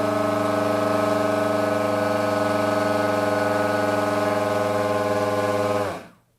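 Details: Indoors, motor on a Coroplast delta wing held by hand, with an 808 #16 V3 camera on the vibration dampening mount: a coarse buzzing drone with a low hum and rough overtones until spin-down, from a badly unbalanced propeller.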